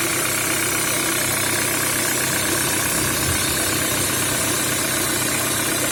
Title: Стук в двигателе EW10J4 RFN Пежо 307